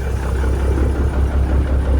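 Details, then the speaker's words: Peterbilt 359 with an old Cat diesel, throttled up during warm-up after a rough cold start following 3 weeks outside: deep, even rumble at raised revs with no knocks or misses. Good oil pressure; sounds healthy. "That's how a cat's supposed to sound."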